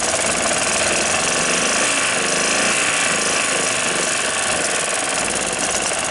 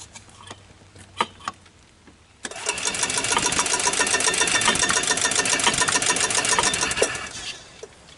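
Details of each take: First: 1993 Club Car golf cart engine after spark plug and carburetor cleaning, following over six months of sitting: steady, busy buzzing run with no misses or surging; running normally again. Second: 1993 Club Car golf cart engine, sat over six months: steady starter whirring about three and a half turns a second for five seconds, never firing; fires only on starting fluid, no gas drawn through, carburetor suspected to need cleaning or rebuild.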